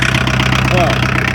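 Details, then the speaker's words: Long-sitting Chevrolet Chevette diesel with a 5-speed, first run: steady clattering idle with an even pulse and no misses, sounding like a small Kubota tractor diesel. A healthy idle. "no way it worked works the whole thing works just listen to that sounds like a Kabota"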